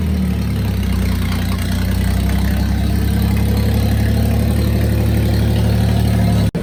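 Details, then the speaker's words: Daihatsu Hijet pickup three-cylinder, revived after sitting 5–6 years in a barn, just out of the garage: deep, steady thrum with even beat, no misses or knocks; idling smoothly. "we finally got her out of the garage as you can hear she's running fine"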